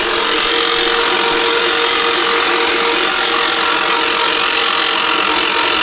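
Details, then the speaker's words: Harbor Freight Badlands 2000 lb portable electric winch, slow but strong, pulling a non-running car up the shop incline: steady, gritty motor and gear drone at an even pitch, laboring under load but pulling fine. "Oh, listen, okay, it's starting to work now. You hear it laboring?"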